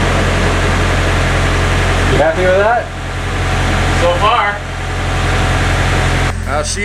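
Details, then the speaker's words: Nissan S14 Silvia, first start of a freshly built replacement SR20DE+T swapped in for the blown SR20DET: settles into a steady, low, even idle with no knocks or rattles and no smoke. Idle is not great yet, but it is a healthy first run. "purring for a first startup that's those I'm stoked sounds good so far it's not a great Idol"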